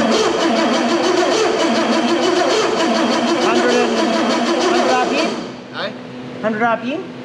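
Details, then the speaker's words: Bentley Turbo R engine on a crane base being fitted with a Link Monsoon ECU, cranking: fast uneven beats about four per second, never settles, then cuts out; rough start with crank trigger errors, spark not yet checked. "it looks a little funny we've got a couple of trigger errors but it's got some up here we need a spark tester"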